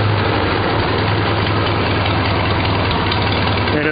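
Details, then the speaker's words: Farmall Super A four-cylinder after Pertronix electronic ignition install, timing adjustment and a new fuel line to stop air and fluttering. Slow, even, unhurried low idle, no misses or knocks. Normal idle. "runs like a clock at low RPM which is really cool"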